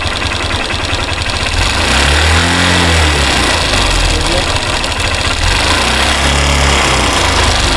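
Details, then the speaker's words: Hero Xtreme Sports motorcycle, 51,129 km, engine never opened: light metallic kit-kit ticking about four per second at idle, quickening and swelling as throttle is slowly opened; worn timing chain rattle, chain later replaced. "तो अभी हमारी bike idling में है और sound सुने, इसके अंदर से kit kit kit kit sound आ रही है।"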